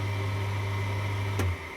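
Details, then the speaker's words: Clarke Woodworker 20in wood lathe CWL6B running after repair with new drive belt (old one perished) and new bearings; smooth, steady low hum, no knocking or grinding, then motor winds down evenly; much quieter, healthy. "That's so much better. That's nice. Well, I think that was a great success. It works beautifully now, nice and quiet,"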